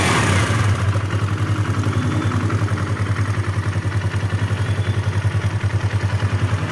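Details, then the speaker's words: Kawasaki KLX 150 single-cylinder after valve adjustment check, idling with an even, steady low thump; the earlier rough top-end rattle is gone and it now runs smooth and quiet. "ya ini suaranya sudah halus Ya teman-teman sudah tidak Berisik lagi"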